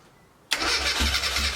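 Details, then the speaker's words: Classic Mini after restoration, choke on, ignition timing advanced via distributor after being retarded, which had prevented starting: quiet, then engine catches in one go and settles to a steady, slightly uneven idle; normal start after timing fix. "And we've advanced the ignition because it was retarded. That's what was causing it to not start."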